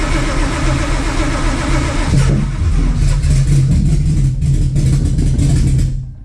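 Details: Widebody Fox body with Whipple-supercharged cammed Coyote, after plugging in both O2 sensors and further changes: the starter cranks and the engine catches in ragged, uneven bursts, then falls back, firing but never settling into a run. The cause is not confirmed.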